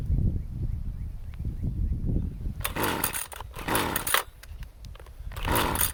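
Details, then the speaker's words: Husqvarna 128CD two-stroke trimmer after installing a new coil, carburetor settings reset to initial positions: stumbles and sputters at low speed, then bursts ragged and uneven when revved, with popping; rough running and backfiring, possibly worse than before. "Not a good sign. I think it's worse now."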